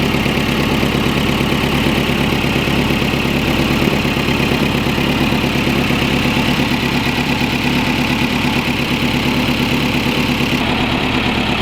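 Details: VW Rabbit pickup that wouldn't start, now running after tracing wiring and finding an exposed, corroded wire (HT leads still worn): steady, even idle with a smooth low pulse, no misses, knocks or stumbles; normal idle.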